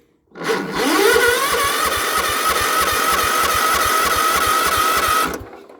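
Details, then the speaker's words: Small engine cold start: starter cranks steadily with even chuffing but never fires; governor linkage misadjusted, carb solenoid not clicking or staying engaged, owner suspects an electrical fault though fuel reaches the carburetor. "yeah it's not going to go i don't like i don't hear the carb solenoid clicking let's go around check it"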